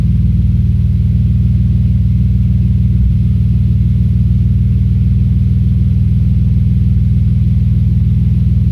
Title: Audi S4 B5 Misfire